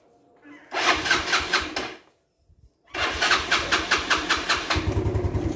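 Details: Yamaha Mio scooter that died suddenly while riding, restarted after oil was poured into the cylinder to build compression and the spark plug cap refitted. Short crank and catch, a pause, then a quick restart into an even single-cylinder putter; runs normally.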